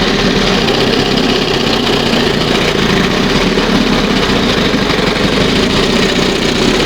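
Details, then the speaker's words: 1971 Johnson 20 HP two-stroke outboard warming at fast idle: steady, slightly rough drone lacking crisp edge; unburned oil and fuel mix still appearing; rich running from wrong, oversized high-speed jet. "See, there's still I'm still getting unburned oil and gas in here after I just flush this thing out."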